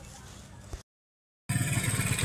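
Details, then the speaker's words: "Ruse Surf" motorcycle after replacing the worn timing chain, chain guide and roller guide that caused rattling when running, plus new lining: brief burst then a steady, even low putter with no chain rattle, engine now fairly quiet. "Ayan na po, tapos na po mga katropa, manda na po at medyo tahimik na po ang makina."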